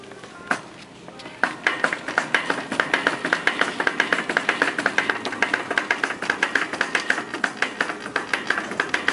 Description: I got this janky shopping cart at Kroger that had a broken wheel bearing, and it was hella' annoying going through the store with it.